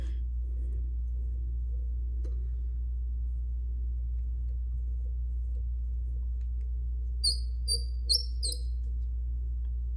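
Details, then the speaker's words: Fly-tying bobbin holder while winding thread: a steady low hum, then four quick high-pitched chirps. The bobbin holder squeaks. "excuse that my bobbin is as you can tell very squeaky oh but I like the bobbin um holder so I'm just gonna keep it"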